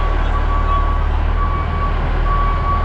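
Steady high electronic tone pulsing over heavy low diesel rumble as the truck backs out; reverse beeper working normally.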